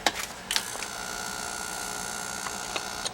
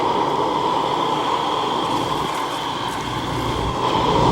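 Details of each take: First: Carlin oil burner on a Bock 40-gallon oil-fired water heater, submerged when the basement flooded: clicks at switch-on, then a steady electrical hum that never spins up, stopping when released; motor locked up from water, replaced with new motor. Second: Carlin oil burner on a flooded Bock oil-fired 40-gallon water heater: steady even roar and mid-pitched hum, no sputter or cut-outs. The burner is holding flame normally while steaming out the water.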